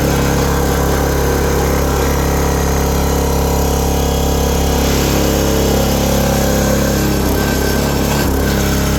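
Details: 2022 Oregon 3000 Series log splitter with 6.5 hp Kohler engine, about 20 hours, after unplugging the oil sensor that caused hard starting and dying: steady, even idle with no stumbles or dropouts, firing cleanly. Normal running.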